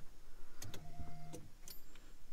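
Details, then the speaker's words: 1988 Ford Mustang Foxbody coupe no-start, turning key to run: relays click and fuel pump briefly whirs in short bursts as the key moves; a poor contact in the steering-column ignition switch, jiggling affects it. "So the problem was literally this ignition, guys. There's clearly a contact in there that isn't good."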